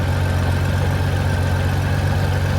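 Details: 1994 Honda GL1500 Goldwing Aspencade after aftermarket fuel pump replacement, running 20+ minutes and nice and warm: deep, smooth, even idle with steady low rumble, no knocks or misses; normal warm idle, zero smoke.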